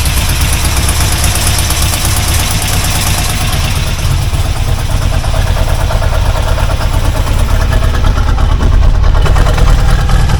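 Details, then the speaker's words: C4 Corvette 350 small-block after engine reinstall, first running: deep steady idle with even beat, no rod knock or ticking, 45 lbs of pressure; running rich and not charging. "No knocking. 45 lbs of pressure."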